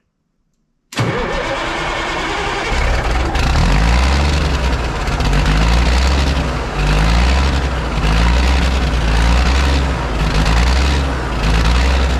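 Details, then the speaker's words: Ford cabover truck, 14 L Big Cam Cummins diesel, sat about 10 years, after fuel system bleeding: cranks and fires, settles into fast, steady idle with slight lope around 1300 RPM, oil pressure 80 psi; high idle speed, cause unknown. "own it definitely idles quite high so I'll see if I can dial that back down"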